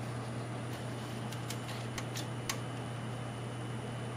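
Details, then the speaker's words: Scythe Susanoo CPU cooler with four 100mm fans switched down to low speed: soft steady low hum with faint occasional ticks, really quiet; normal low-speed fan noise. "It is really quiet actually. I can actually hear the board more than I can the fans."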